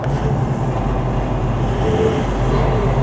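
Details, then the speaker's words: Toyota 79 Series LandCruiser diesel after turbo replacement (was going into limp mode under load, turbo screaming and fluttering): first drive, still cold, steady low drone with no whistle or flutter; turbo sounds healthy. "That noise is gone. Still on cold. It's not fluttering anymore."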